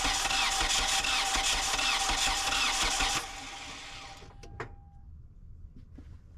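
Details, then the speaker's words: 2011 Kia Soul 2.0 L with a misfire and low compression on cylinder 2, cranked with the valves exposed before head removal: about three seconds of cranking with a regular hissing puff as air pushes back in. "pretty sure you could hear that. Sound like air pushing back in."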